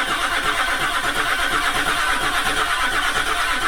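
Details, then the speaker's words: Land Rover Discovery 3 (LR3) 2.7L TDV6 Lion diesel after a complete engine rebuild: cranking at a steady, even beat of about three per second, with no oil pressure reaching the engine on this start attempt. "stop no oil pressure why is it not getting any oil stop recording"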